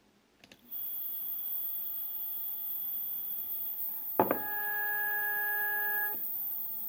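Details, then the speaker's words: Second Z-axis stepper running alone on a Duet board, to show it is not broken, stock settings of feed rate 1000, 2 A, acceleration 120: clean steady tones with a higher whine stepping in, no grinding. Sounds normal. "this sound is pretty normal let's increase the feed rate to 2000"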